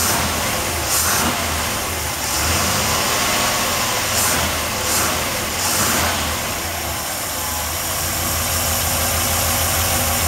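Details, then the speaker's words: 383 stroker V8 in a Chevy truck with a stock-rebuilt carburetor (stock jets and idle feed restrictions): blips up crisply and settles back smoothly each time, sharp, clean throttle response with no misses or pops; running well. "the thing pretty good running an engine at the real responsive haven't done much to the carburetor"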